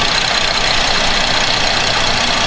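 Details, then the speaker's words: 2011 Buick Enclave 3.6 that starts and stalls with no codes, at idle after plugging back in the unplugged connector that cleared the hitching: a light, uneven knock over a loud hiss, something hitting near the cam sensor; cam phaser knock. "so I'm going to plug this thing in there's something hitting that cancer I can feel it"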